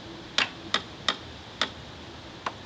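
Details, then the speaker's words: 1985 Honda Elite 150 scooter, first start attempt with rear brake held after relay and cables fitted: five or six sharp dry clicks, no cranking; owner suspects a battery issue, not confirmed. "push the brake nothing i think it's just this yeah nothing all right so it didn't even crank"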